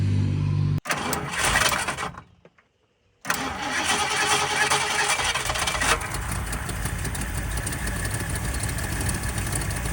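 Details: 1979 Ford Fairmont two-door police car, cranked to see whether it will pull fuel from the tank before fresh fuel is added: the starter cranks in bursts, pauses, then cranks steadily without the engine ever firing.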